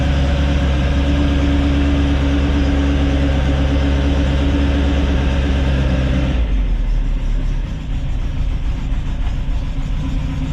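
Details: Rebuilt Ford crossflow race engine in a Vixen with loaned cylinder head, first run after repair; loud even deep firing held at raised revs, dropping smoothly to lower speed, no misses or knocks; healthy.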